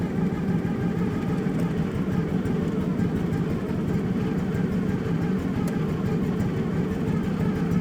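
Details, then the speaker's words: Kawasaki engine on a utility machine, idle screw bumping the throttle cable, oil light on: slow, lazy idle with widely spaced pulses, barely turning over, possibly below the 1200–1300 rpm spec; idle speed too low and needs raising. "so we'll start it up and I'll let you hear how this thing is just barely ticking [Music] over"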